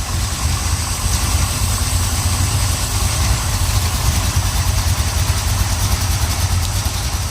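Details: 1970 Pontiac Trans Am 469ci pump-gas stroker, Lunati hydraulic roller cam, Johnson hydraulic roller lifters, Performer RPM intake, 850 Holley: steady lumpy idle about 700–750 rpm, slight exhaust cackle, no lifter noise; healthy.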